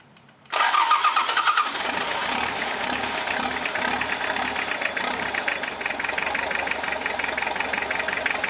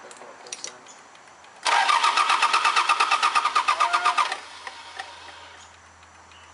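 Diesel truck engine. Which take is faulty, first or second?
second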